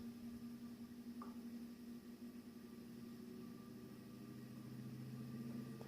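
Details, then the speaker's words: Steady, even hum with a low airy rush from an industrial 220-235 V AC fan on a variac at raised voltage, airflow now clearly felt, with no ticks, rubbing or wobble; it runs smoothly. "now you can really start to feel the cooling effect or the airflow of this fan and the noise"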